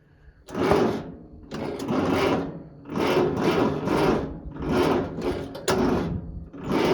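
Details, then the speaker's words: Farmall Cub 140 four-cylinder tractor, sat five years, after basic tune-up and starting fluid: labored, slow cranking in heavy surges about once a second, never catching; turns over but not fast enough, weak battery suspected. "it spins over all right it's just you know not quite fast enough I might pull my truck around here and hook the old cables to her or something or stick a bigger battery on it"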